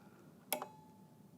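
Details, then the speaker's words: Marley LLC water level control panel, relay card test: reference probe 13 jumpered to probe 18; two crisp clicks about a second apart as the relay in the yellow case changes state, green light on, card functioning normally. "I complete the circuit to number 18 probe, and you can see the relay right inside this yellow case right here. You see the relay contacts change state. You can hear it."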